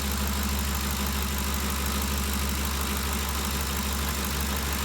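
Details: 2013 Ford Expedition after valvetrain repair for loud ticking (suspected cam phaser or timing chain): steady, even idle with smooth low hum and no ticking or tapping; noise gone, valvetrain healthy.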